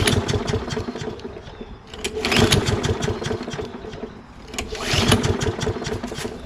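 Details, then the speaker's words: Toro Recycler mower with Kohler XT675 engine, hot, after carburetor cleaning, running on old smelly gas: engine hunts and surges with uneven firing; runs but starts hard; owner suspects bad gas and imperfect carburetor, new carburetor may fix. "probably a new carburetor would make this run absolutely perfect it does run fine but uh it doesn't start that easy"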